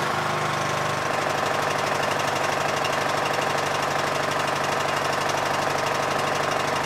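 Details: Yard Machines MTD lawn tractor, 20hp Briggs single-cylinder OHV, first start after magneto bypass for no-spark no-start; smooth, steady constant-speed running, even firing with no misses or knocks: normal running.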